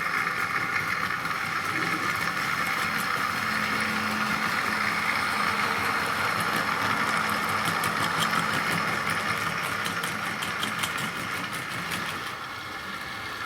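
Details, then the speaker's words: Tri-ang R.152 Class 08 diesel shunter model with ball-race rear bearing converted X04 motor, hauling a tanker wagon rake slowly: light, even electric hum with faint whirr, easing off as it moves away; sounding much happier, running smoothly. "and hopefully you can hear that it's sounding much happier."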